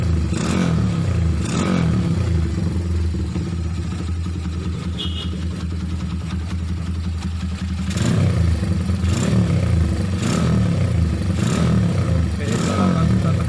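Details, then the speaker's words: Motorcycle with a modified racing camshaft: a steady single-cylinder thump at idle with light blips and no ticking or rough clatter. Normal, smooth idle. "perkenalkan suara mesin Ya seperti yang saya bilang tadi bahwa tidak ada suara kasar atau tidak terserah gelitik"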